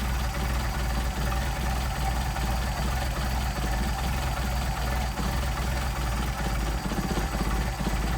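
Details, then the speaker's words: Mercedes 190SL with rebuilt Solex carbs, idle screwed down from 600 to about 400–425 rpm: very slow, lumpy idle with a loping thump about twice a second, engine labouring. Idle set too low. "and 425 400 425 pretty impressive now we don't want the engine laboring so we're going to kick it back [Applause] up"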